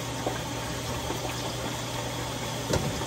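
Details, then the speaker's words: GE front-load washer model GFW430SSM1WW after a hose leak repair, hose reseated and tightened, test run for leaks: steady rush of water with a low even inlet-valve hum, no drips; filling normally, no leak. "Just doing a little test run for some leaks. So far, so good."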